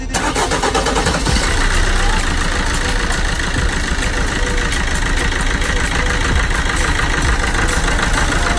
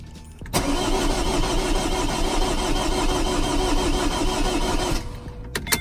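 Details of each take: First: Vauxhall Corsa D 1.3 diesel with previous crank-no-start after ECU repair/EEPROM swap and new fuel lines; loud diesel clatter starts straight away and settles into steady, even idle, running properly. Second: Vauxhall Corsa D 1.3 diesel after ECU repair and all fuel lines replaced, no fault codes or spanner light; starter churns steadily about four seconds, roughly three turns per second, never fires; air in fuel rail.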